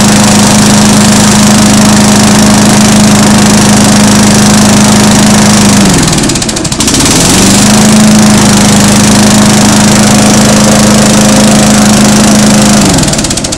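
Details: Small single-cylinder engine after valve lapping and reassembly, primed twice: better compression, starts on one pull instead of 3–4; steady even drone about four beats a second, two brief dips that recover, no raw fuel smell; normal running.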